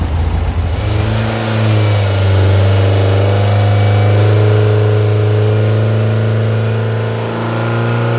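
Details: Brand-new Powerhaus VW 2110cc air-cooled turnkey engine for a 1966 21-window bus, upgraded head, dual 44 carbs, on dyno after valve adjustment; deep even flat-four rumble swelling smoothly as load is applied, no ticks or knocks; normal running.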